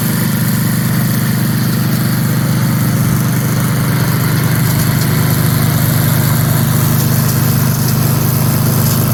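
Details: 1982 Snapper Comet riding mower, 8 HP Tecumseh electric start, after restoration with everything reported operational: steady, even single-cylinder chug at constant speed with no misses or knocks; running properly.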